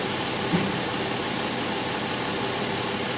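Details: 2005 Chrysler Pacifica 3.5 L V6 at idle: steady, even idle hum with no knocks, ticks or whine; normal idle.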